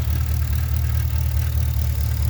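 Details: Pontiac G8 GT idling: deep exhaust with slightly uneven stumbling pulse, a misfire, plus a sound from the muffler; cause unknown.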